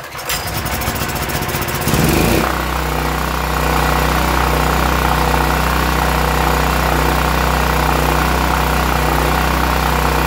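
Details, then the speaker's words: Westinghouse WGen9500 generator after bad gas drained and pilot/idle jet cleaned: pull-starts and settles into a steady, even run without surging or hunting. "we cleaned out the pilot the idle jet and now it runs pretty smooth"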